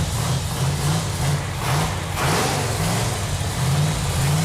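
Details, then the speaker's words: 1969½ Dodge Super Bee A12 engine with three two-barrel carbs ("446 pack") on the engine run stand, first warm-up after its fuel lines were tightened: deep, steady V8 rumble with a lope, swelling cleanly under throttle blips; running healthy. "It feels really good to hear that engine run. Yeah, feels good. That engine sounds so good."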